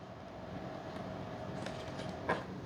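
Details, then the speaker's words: Avios C-130 1600mm RC plane during radio setup, flaps at neutral in normal flight mode: faint, steady mid-pitched buzz under a low hum as flap servos strain and overdrive against the less-smooth slider mechanism. "You hear that noise? It's the servos cuz this slider mechanism is not as smooth as what we're used to."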